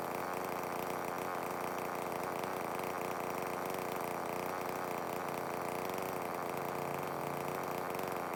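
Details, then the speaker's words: Stihl MS170 chainsaw, reported as not starting, about 13 months old and barely used; steady high two-stroke drone with no misses, starts, runs and oils fine; normal running. "well that ms170 starts and runs and oils I just don't think he's used it at all since he bought it"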